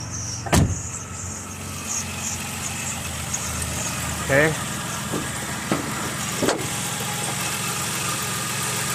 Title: troubleshooting 2010 Chrysler town and country 3.8L serpentine belt noise